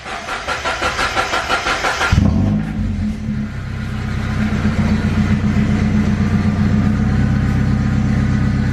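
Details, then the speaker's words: Mazda Miata NB at its first start after over a year sitting; starter cranks in even pulses, then a loud, deep, booming idle. Loud exhaust at idle, suspected to be straight-piped, not confirmed. "Straight pipe. Yeah, straight pipe this somehow, somewhere."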